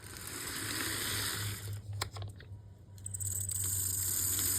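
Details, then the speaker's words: Vintage blue-box B&O F-unit model train locomotive moving forward: a thin, steady, very loud high-pitched squeal from the motor, with a burning motor smell. Cause not pinned down. "Yikes, that is not a great noise coming from it moving forward. Very loud squealing."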